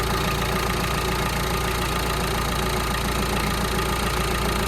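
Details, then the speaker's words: Citroen Berlingo van, about 160,000 miles, just started after a timing belt and water pump change, not yet up to temperature or bled: a dense, steady idle with an even beat of about three per second and no knocks, ticks or rattles. The idle is normal. "All we got to do now is get it up to temperature and uh get it bled. So yeah, success."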